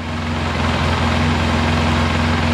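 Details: Polaris Sportsman 700 ATV idling warm after a head gasket replacement and radiator swap; not leaking, no exhaust leaks at the pipe. Smooth, even idle with a steady low rumble, no misses, knocks or exhaust ticks; healthy.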